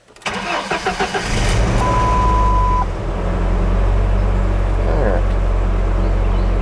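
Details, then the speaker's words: 1998 Ford Ranger, 423,000 miles, 5-speed manual, after replacing a fuel injector to fix a rough idle, fuel pump cycled for pressure, hot humid day: several quick cranks, catches and settles into smooth steady idle, chime briefly; running much better. "Tell you what, she is running a lot better than it was."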